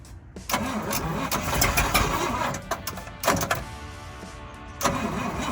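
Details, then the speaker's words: Fire truck V8 running cold, with the thermostat not yet open, after the ignition timing was adjusted (likely advanced). It catches and settles into a fairly even, steady run with a few throttle blips. The earlier tractor-like sound is gone and it runs nicely. "at first it sounded like a tractor but then when we got that timing closer it started sounding nice man"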